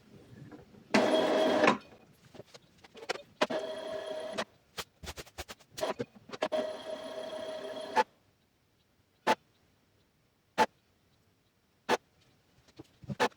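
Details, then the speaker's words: Epson EcoTank printer (e.g. ET-2810/L3210) with a clogged printhead printing blank pages; printhead cleaning cycle started by holding stop button 5 seconds: bursts of motor whirring and carriage rattle, then single clacks about every second while lights blink; normal cleaning cycle. "You'll hear the printer start making noise, and the lights will begin blinking. That means the cleaning process is running, so just wait until the lights stop blinking."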